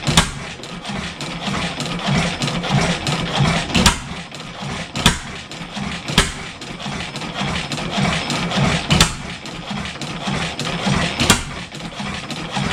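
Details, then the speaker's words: 7 HP Stickney stationary engine, revived after decades sitting, muffler fitted: uneven spaced-out firing thumps never building to a steady beat; won't pick up, choke/preheater set wrong, air leak suspected. "it was running better before yeah it's not picking up like it fire still"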